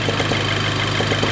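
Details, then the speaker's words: VW Golf GTI with engine fault codes, idling after cold start: steady hissing suck of air with a faint pulse at the open EVAP purge valve port, stopping when covered by a finger; purge valve pulling vacuum, working as it should. "You can actually hear it. Okay, you can hear it trying to suck air in. And when I put my finger over it, it stops."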